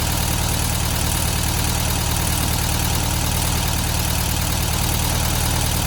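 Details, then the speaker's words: 1972 VW Beetle 1200 idling after valve clearance adjustment and plug change, now on four cylinders; light fast ticking about four per second, packety valve train tapping, owner suspects clearances too loose and needs tightening. "That sounds quite packety to me actually. I think maybe we need to tighten those valves back up a little bit, but it is running on 4 cylinders now, definitely."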